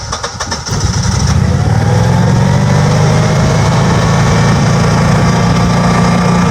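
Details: Generac 6244 20kW standby generator with 5.5 in. water column gas pressure at the sediment trap: brief uneven cranking, then it catches and holds a loud steady idle; hard start, undersized 3/4 in gas pipe replaced with 1-1/4 in.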